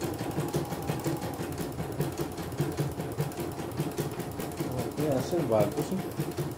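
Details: CNY E900 embroidery machine after repair, sent in for a touchscreen that would not respond (also described as dead with a jammed rotation), on a test run: a steady, even chatter of stitching at about two or three strokes per second with no knocks or grinding; running normally.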